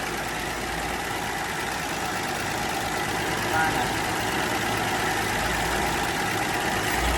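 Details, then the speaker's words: Dodge Dart slant six that had sat since 1992, on its first start: steady, even, smooth idle with a soft, consistent beat and no knocking; it may be running hot; normal idle. "oh yeah listen to that slant six pair that smoothest [Laughter] i did not think it was going to run that well not even almost"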